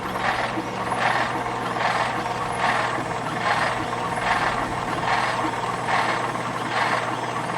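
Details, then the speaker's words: 1950 Chrysler DeSoto flathead six, 6-volt positive-ground system, starter jumped directly: slow laboured churning just over one beat per second, too slow to fire, though fuel is spitting from the line; weak battery. "well if you give it a head start the starter will spin the engine I don't think that's fast enough to make it start but you know that's pretty good"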